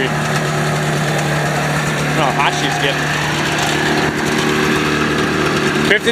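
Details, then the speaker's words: Ski-Doo Formula Plus 583 two-stroke snowmobile, sat over five years, running on chainsaw gas poured into carbs, air box off, not yet overheated: steady even idle, smooth low drone, no misses or knocks; normal two-stroke idle. "running off the little chainsaw gas runs good runs great headlight at least you got a headlight sounds i mean it sounds healthy"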